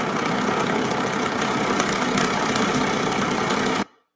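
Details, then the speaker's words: Hydrofoil in water tunnel test, right foil of two identical-geometry, identical-material foils differing only in material orientation: steady rough buzzing hum with fast flutter; flow-induced vibration noise, pitch differs markedly between foils. "i want you to hear the difference in sound caused by flow induced vibration on two foils with exactly the same geometry exactly the same materials tested in the same tunnel with the same condition"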